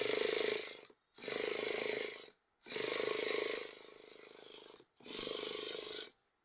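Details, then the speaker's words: Traxxas Jato RC starter box with 3S 11.1 V battery, after replacing an open diode on the burnt-out board, starter tested: four roughly one-second bursts of strong, steady high motor whine starting and stopping cleanly; starter spins healthily. "ഇപ്പൊ സംഭവം ഓണാൻ തുടങ്ങിയിട്ടുണ്ട്. അപ്പൊ നമുക്ക് വണ്ടിയിൽ connect ചെയ്തൊന്ന് start ചെയ്ത് നോക്കാം."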